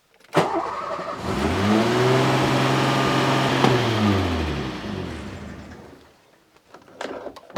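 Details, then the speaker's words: 1987 Renault 25 V6 Turbo with throttle position sensor unplugged: engine catches, climbs to a fast steady idle around 2000 rpm and drifts down; ECU holds it off idle, same as with the idle hose clamped. "Off idle, I'd say. That was 2000 revs. So it's still the same as when it's clamped off when this is disconnected."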